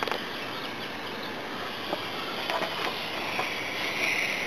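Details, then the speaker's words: Car air conditioning system pressurised with nitrogen to about 100–110 psi: a constant thin hiss with light clicks, from a leak at the condenser, with pressure dropping to 50–60 psi. "so let's look around for the leak i hear a hissing noise"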